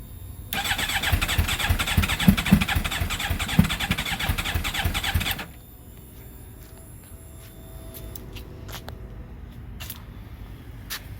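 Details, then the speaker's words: GSXR with a 600-to-750 engine swap, third start attempt: the starter whirs with sputtering, uneven firing for about five seconds, then cuts out; it almost catches but won't start. "right, so it's the third fail. I'm gonna keep playing with it and see if I can get it going."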